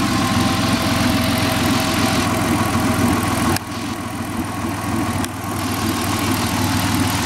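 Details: 2000 Ford SVT Contour with 3L Ford Escape block, Cougar 2.5 heads and SVT cams, idling: uneven, fast knocking about three to four per second over the engine note; engine knock, cause undetermined.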